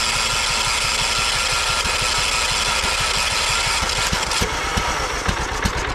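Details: 2001 John Deere LT133 lawn tractor, 13 hp Kohler Command single-cylinder, 5-speed, running after solenoid jumped: steady even putter over fan and drive noise, no misfires or knocking; runs properly, seems a little slow on hill.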